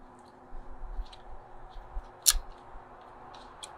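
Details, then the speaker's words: Norcold 1200 RV refrigerator after replacing a failed, corroded control board (NOCO error): on unplugging AC power, one sharp click and igniter ticking over a faint hum as it switches normally to gas mode and lights. "my click listen for a flame I hear the ticking and if we look we look in there we see a flame so that's good"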